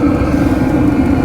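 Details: Cheap Chinese diesel heater installed in a Sprinter van, heard from underneath: a steady low burner hum with the fan droning and a light regular clicking from the fuel dosing pump; the heater is running normally and producing good heat.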